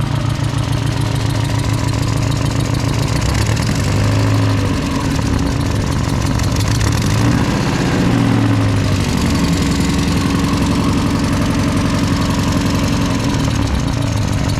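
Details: Drift car at a race event, with spark plugs swapped between cylinders: engine idles with an uneven stumbling low pulse; misfire persists, owner fears a damaged valve, possible exhaust leak near the manifold, not confirmed.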